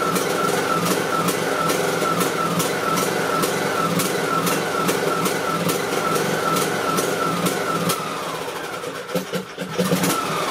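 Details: Briggs and Stratton 18.5 hp Intec lawn mower engine idling: steady small-engine ticking with tone wavering up and down as rpm hunts; idle surging blamed on a clogged carburetor pilot jet, fixed by cleaning the jet.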